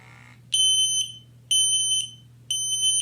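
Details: Ventis MX4 multi-gas monitor with the pump inlet covered and the audible sensor partly muffled: sharp high beeps about once a second over a low pump hum, the blocked-flow alarm, showing the safety works; it resets once unblocked.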